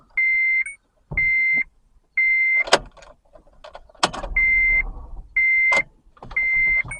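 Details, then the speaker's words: 2008 Honda Civic, brand-new battery at 13.22 V, key turned to crank: only a steady chime about once a second and a few clicks, no starter engagement; no crank, no start. "we'll crank the engine there you go it's uh no crankness start crank again nope no crying no start"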